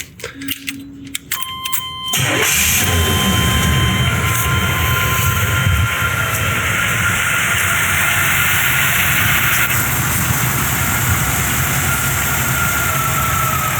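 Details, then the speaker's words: 1984 Chevy Monte Carlo after cutting back and reattaching a deteriorated, rusty line; brief cranking, then it starts and settles into a steady, even idle without misses. "I think it's happier. This thing sounds way better."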